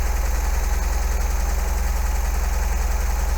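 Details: 1980 MGB after new spark plugs, carbs suspected far out of balance, not yet warmed up: idle with regular lumpy thud, two to three a second, uneven beat; still misfiring but much improved.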